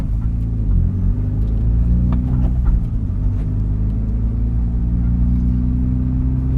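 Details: Mitsubishi Evo X with intake, turboback exhaust, FMIC and Grimmspeed 3-port EBCS, wide-open throttle in 3rd gear at about 58°F air temperature: low, uneven rumble that stumbles just above 3,000 rpm, now in 2nd gear too; misfire suspected.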